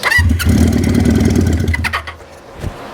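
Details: 1973 Honda CB350 Four with new condensers and uncleaned carbs, running on starting fluid. It catches with about a second and a half of uneven, low firing, then stumbles and dies; the owner believes the jets need cleaning.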